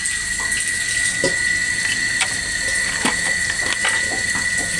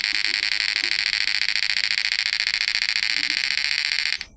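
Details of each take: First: PDC stun device connected directly to battery with 200 W lamp load: output current absent, on/off relay clicking rapidly over steady high whine; shorted driver track and blown output MOSFETs. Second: PDC 12 F mini stun device inverter after replacing MOSFETs FDP032N08 with FDP045N10: steady high electronic buzz pulsing evenly about 3.5 times a second; PWM, output and frequency normal.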